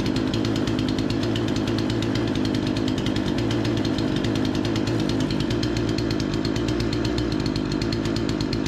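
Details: Remington 46cc chainsaw, low-speed screw turned about an eighth clockwise to lean a suspected rich mixture: steady even high-pitched buzz holding constant speed, no surging or stumbling; seems dialed in; normal running.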